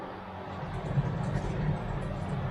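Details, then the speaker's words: 2011 Toyota Camry on a lift, rear wheel spun: a low, steady growling rumble from a worn right rear wheel hub bearing near lock-up, missed by the dealer, with light normal brake pad drag; later replaced. "That does not sound good. Hear that? That's what we're listening for. That sounds bad. Sounds like a bearing."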